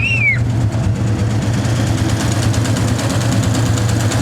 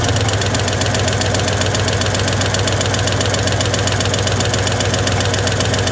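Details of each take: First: 1961 Chevy Apache V8 after an oil pump change and fresh spark plugs, still warming up: a deep, steady, even idle with no misfire, idling a little higher than before. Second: 1961 Chevy Apache V8 started for timing with a timing light, later set at about 12 degrees; nearly out of fuel: steady pulsing beat around two to three a second, slightly uneven and lumpy; rough idle, cause unconfirmed.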